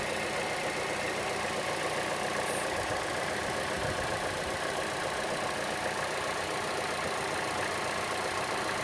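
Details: Chevrolet Cruze engine at idle: a light, quick tick at two to three per second over a steady idle, louder than the normal engine tick and more noticeable on the belt side; the cause is not yet found.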